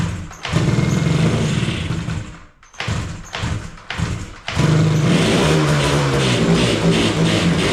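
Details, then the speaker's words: 1985 Yamaha RZ350 two-stroke on heavy premix through a makeshift fuel setup, original spark plugs; revs raggedly with lumpy, hesitant blips, seems to run on one cylinder, right cylinder weaker; owner suspects fouled plugs: misfire, running on one cylinder. "well it's uh running kind of poorly really seems like it's running on one cylinder um the right cylinder seems to be maybe a little bit weaker"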